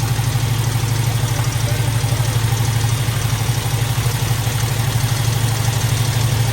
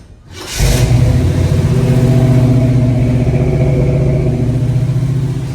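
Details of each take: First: Squarebody Chevy at idle: a quick, light rattle about three per second over the low rumble. An exhaust valve is sticking on the second bank, one cylinder back, the same fault as the first side. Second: Squarebody Chevy big-block V8 restarted with the valve covers off after it came free: it catches and settles into a deep, even, steady rumble with no misses or ticks, running smooth.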